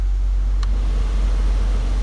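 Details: 2002 Nissan Sentra heater/AC blower fan switched on after the airflow selector dial cable was secured with zip ties: smooth, steady rush of air with no ticking, rattle or squeal; the fan runs normally.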